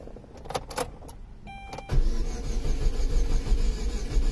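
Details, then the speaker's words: 2005 Saturn Ion 2.2L 5-speed, no start after a new clutch; prior shop claimed the timing chain jumped: starter cranks with an uneven, lopsided chug and never catches, suggesting low compression on some cylinders. Cause suspected, not confirmed. "know if you guys can hear that but it definitely sounds like low compression want some of the cylinders"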